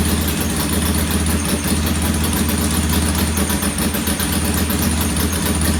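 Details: Norton P11 vintage British twin, first kick-start after carburettor disassembly and draining old gasoline for fresh: uneven, lumpy idle around four pulses a second that never settles; one pilot jet doesn't seem to follow adjustment like the other side's and will be cleaned again.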